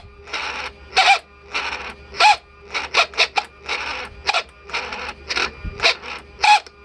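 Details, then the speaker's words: Mercedes S600 W140 older-style throttle body with metal gears and brass motor bearings, bench tested on a 129 control module: repeated short, rough, rattly whirring bursts. Worn actuator motor bearings; the noise disappears when the throttle body is tilted sideways. "very nasty sound put the throttle body say sideways like this you know just flip it a little bit and as you can see noise is gone"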